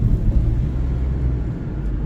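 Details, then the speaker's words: Mitsubishi Outlander test drive after a new rear shock and new front sway bar links: steady low road rumble over bumps with no knocks or clunks from the rear. Suspension noise is fixed and the ride is solid. "It's pretty stiff, solid. And then the rear shock at the back, brand new. No clunk back there."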